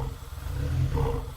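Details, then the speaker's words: Supercharged 2ZZ-swapped Toyota MR2 Spyder at idle with a strong fuel smell, owner suspects 5-month-old gas: idle surges up and down, worse with a little throttle; cause unconfirmed. "it's actually kind of idling smoothly but now you can hear it up and down up and down and if I give it a little throttle it might even get a little [Music] worse there it's doing it really bad right"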